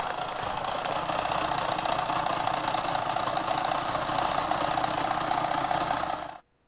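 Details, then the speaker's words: Kenmore Sears sewing machine repowered with a 3/4 hp motor, run past factory RPM: fast, rough rattling knock, three to four beats a second, steady then stopping; loose bearing cap knocking. "So now that bearing cap is actually loose, which should add to the fun."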